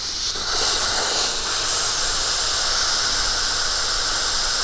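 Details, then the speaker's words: Mr Cool Advantage 12K ductless mini split heat pump, line set covers removed outside the house: loud, steady gas hiss for several seconds without fading as the factory nitrogen holding charge bleeds off, as expected. "i'm told that there could be a little bit of nitrogen in here so just kind of be prepared for a little bit of you know outgassing when you take these covers off so i don't know if you can hear that but it is definitely releasing a lot of pressure"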